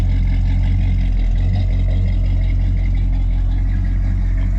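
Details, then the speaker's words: 1987 El Camino SS V8 idling, heard from behind the car: deep, steady, even burble with no knocks or misses; normal healthy idle. "Sorry about the jiggly camera. You can hear it. It sounds good."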